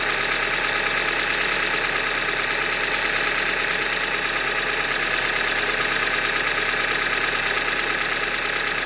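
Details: 2015 Hyundai Elantra Limited, 91,000 km, idling: steady sharp metallic tapping about three per second over a smooth idle, a deep bottom-end knock attributed to short block failure, a Hyundai manufacturing defect.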